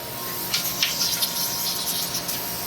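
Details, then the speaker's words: Boiler heating loop after draining and refilling, pumps restarted at 13 amps: steady sharp hiss with irregular gurgling spurts as trapped air vents through the air separator. "We're looking good, and you can hear all that air coming out of that air, the damn air separator."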